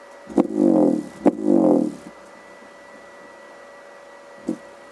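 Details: Alpine Type S 10-inch D2 subwoofer, repaired, sealed in a box and driven by an NVX XAD11 amplifier at low volume: bass tones each start with a sharp pop, with stray pops after; subwoofer popping distortion even at low volume.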